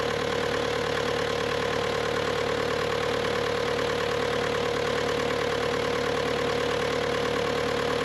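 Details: Bobcat T300 diesel skid steer: loud, steady idle with an even drone and no knocks, misses or surging; normal diesel idle.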